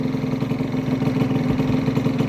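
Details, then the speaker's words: Honda Vision two-stroke scooter with a new starter jet, choke off, idling on its own at about 1500 rpm on the gauge without intervention: steady, even buzz with no misses or surging; clean idle. "let go of the throttle and it's idling perfectly it's around, 1500 going on the gauge but it sounds perfect that's the best I've ever had it running on its own without me having to intervene"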